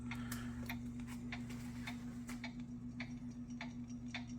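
Irregular sharp ticks, roughly two a second, over a steady low motor hum; the player is skipping while searching.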